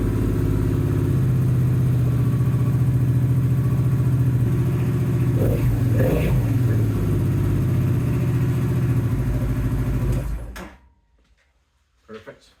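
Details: Even, steady idle from a 2008-2012 Honda XL700V Transalp V-twin, test-run right after fitting new spark plugs; a smooth lumpy beat with no misses or ticks until switched off, running healthy.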